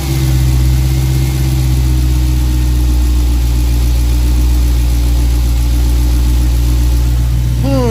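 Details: Dodge Hellcat supercharged V8 after installing K&N drop-in air filter: heavy steady rumble with faint high supercharger whine rising as it revs at the end; normal blower sound.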